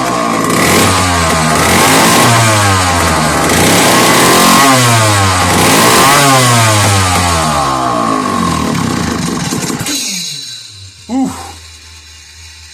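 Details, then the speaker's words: Old McCulloch 1-52 chainsaw clamped in a vise, after hard starting and added fuel: loud, ragged two-stroke revving rising and falling for ten seconds then cutting out, filling the room with heavy smoke; it runs after a hard start. "So we got it pretty well smoked out in here, but we also got stuff now falling off the bench onto the floor."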